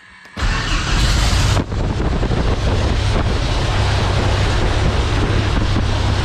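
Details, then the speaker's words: Thorp T-18 homebuilt airplane engine started after about six months unrun, with fresh fuel, a new starter, a charged battery, primed and throttle cracked. It catches and settles into a steady low drone under heavy prop-wind rush, no misses; runs. "Oh yeah. Woo! She runs, boys. Boy, that's some wind."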